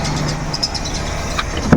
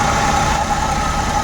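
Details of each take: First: Suzuki Every Wagon (DA64W kei van) petrol engine idling unevenly with occasional dips and knocks and strong vibration, a cylinder misfire causing rough idle; AC on, tensioner bearing also noisy. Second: Suzuki Every Wagon (DA64W) after fixing misfire that caused strong engine vibration: steady, even, smooth idle with no shake or stumble, also with aircon running; running cleanly on all cylinders.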